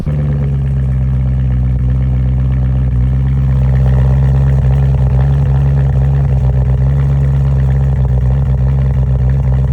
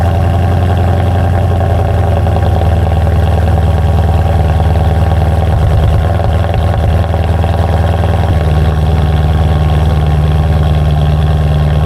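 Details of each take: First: BMW M3 cold start with P2626 code: deep, uneven LS-like chop at idle, beat stumbling instead of smooth; bad passenger-side (right front) pre-cat oxygen sensor. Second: BMW M3 after replacing faulty passenger-side pre-cat oxygen sensor (P2626 cold-start issue): deep, even idle holding steady with no stumbles or misses; no longer breaking up, normal idle after repair.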